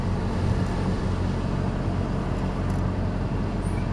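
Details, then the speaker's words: Rear of a Honda Civic 2.2 CTDi that squeaked from one rear wheel, driven after removing the wheel (possibly a stone trapped): steady low road and engine rumble, no squeal; noise gone. "definitely no squirrels that's it all right job done it could be as easy as that taking your wheel off and then maybe a stone falling up so"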